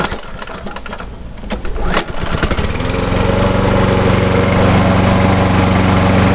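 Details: Pull-start mower engine, last run about two hours earlier, on a 93°F day after VP Small Engine Fix-It fuel treatment: fires on the first pull at about two seconds into a steady, even buzz, running much better.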